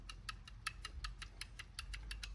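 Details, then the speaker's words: 2012 Polaris Ranger 500 primary drive clutch: light sharp uneven metallic clicks about five a second, no engine behind them; worn weight bushings rattling, mistaken by owner for engine trouble; clutch to be replaced. "so that's his motor noise that he thought he was getting."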